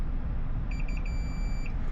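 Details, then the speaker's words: Board repair, multimeter continuity check on connector pins: a few short high beeps then a steady tone for about a second; the pin connects properly, not touching ground. "But if you're in continuity and you want to know that the pin actually connects and you have continuity on that line, make sure we're not like accidentally touching ground."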